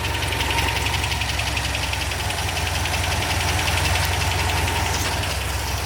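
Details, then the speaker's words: MGB after restoration, idling on the new exhaust: a steady, even four-cylinder idle with a smooth low burble and no misses or knocks. Sounds very normal, the engine running exactly as it did before. "that is a major success the car is running beautifully and as far as i can tell it idles perfectly it sounds very very normal"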